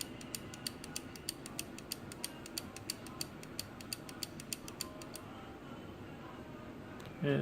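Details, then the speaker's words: Old wind-up clock being repaired: quick even ticking about four a second for around five seconds, then stopping dead; a single tap restarts it, so the movement is stalling on its own. "stops just one little tap and it goes back"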